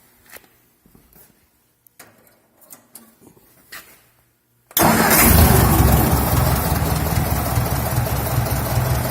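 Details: Tractor with points-and-condenser ignition, running with a test condenser hooked up after the original condenser inside the distributor was suspected bad: quiet clicks, then engine catches and settles into a steady, fairly even idle around 150 beats a minute; running fine.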